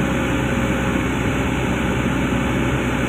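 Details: Komatsu PC200-10M0CE excavator diesel, about 3000 hours, CA2249/CA559 history, raised idle without load: even steady rumble, no misses or knocks; engine healthy.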